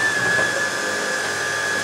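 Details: Miele Revolution 500 S556 vacuum from 2007, after refurbishment and repair, running with the brush roll on: steady high motor whine, smooth airflow rush and even brush roll hum, no rattles or grinding. Healthy running.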